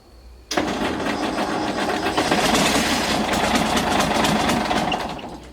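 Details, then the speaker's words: Galion T500 motor grader diesel, sat 14+ years since 2007, first start attempt after hose and hydraulic line repairs: starter churns about five seconds with uneven compression pulses, never fires; fuel supply had been shut off when the pump was removed. "Alright, so I just remembered I had shut the fuel off yesterday when we were taking the pump off, so I didn't have the fuel on right there, but it really sounded like it was going to fire off there, so I got the fuel turned on now and I'm going to crank on it some more."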